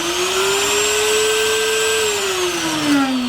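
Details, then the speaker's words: Router running with the bearing off after the loose collar was retightened: a smooth, even high whine with no rattle, running normally now. The earlier noise came from the loose collar. "And Collie was just loose, gang."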